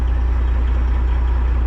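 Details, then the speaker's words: Kenworth cabover diesel during restoration, running after suspected gummed or stuck injector cleared with warm running: deep steady rumble, even beat, responds cleanly to throttle; idles smooth and healthy; engine brake not yet working. "And it sounds like it's running good. Like I hit the throttle and it just does what it's supposed to do."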